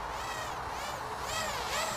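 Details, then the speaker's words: Full Speed Leader 120 brushless micro quad flown line of sight in angle mode during a punch. The motor whine rises and falls with a slight uneven wobble; the pilot suspects the flutter comes from D gain set too high. "I'm hearing a little bit of a flutter, so I think, just as I suspected, the D gain's a little bit too high."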